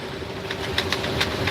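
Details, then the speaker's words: Semi truck with X15 Cummins driving in high Wyoming wind: sharp, irregular light clicks over steady road and engine drone, something loose bouncing in the overhead cab compartment. "hmm what the heck is bouncing around up there in that compartment"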